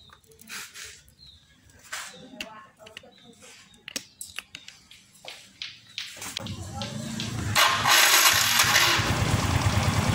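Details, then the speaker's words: Yamaha Mio M3 scooter: rough snoring "ngorok" grind from the starter/dynamo when electric-starting, then briefly running, then grinding again as the engine is switched off; starter motor grinding at engine shutdown. "jadi begitulah saat di double starter setelah di double starter maksud saya di sini muncul suara dan ketika mesin dimatikan di sini juga muncul suara ngorok"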